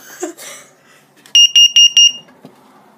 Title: Carbon Monoxide alarm test